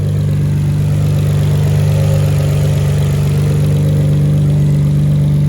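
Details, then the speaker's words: Deep, steady idle with a slight lope from aggressive camshafts on a Nissan Skyline R32 GTR just after installing R35 coil packs to cure a misfire; no misfire heard, runs normally. "you can hear i mean it's cam so if you hear it kind of sounding a little interesting that's because it's cams"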